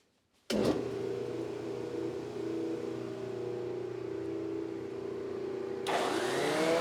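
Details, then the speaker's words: 3D-printed industrial dust-collector fan, first test pulling MDF sawdust and wood chips into a bag: motor spins up cleanly to an even, steady hum with chips rattling through, no rubbing or wobble; normal fan running. "actually looks good and it really sounds good and it seems to perform pretty well"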